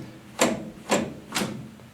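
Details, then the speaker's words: Jeep Scrambler with 258 dual-carb engine, custom automatic transmission linkage routed past the header, brake booster and proportioning valve; three crisp clunks half a second apart through the gates, no rattle or slop, smooth shifting, normal detent action. "that is smooth shifting you will have to fiddle with that"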